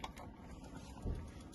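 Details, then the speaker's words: 2010 IH Tio R motorhome fridge switched to gas: sharp dry ticks about four a second over a low hum as the igniter engages; normal gas ignition clicking. "you could probably hear that clicking, and that's basically just engaging into gas, and then the fridge will run on gas."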